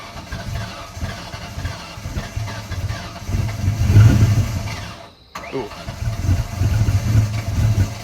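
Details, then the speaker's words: Ford Mustang 4.6 SOHC V8, rebuilt with cams after a bad head gasket, new fuel pump, first start: hunting, stumbling, loping idle; rough idle because the throttle plenum blade was set incorrectly, fixed later. "The blade on the throttle plenum was not set correctly, hence the idle issues that was fixed later."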